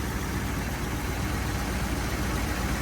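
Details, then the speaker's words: 1981 Chevy C10 after a spark plug change (one old plug was wet). A steady, even idle with a smooth low rumble and no misses or stumbles; it idles a lot cleaner than before. Normal idle. "I like the sound of it. It's definitely idling a lot cleaner than before."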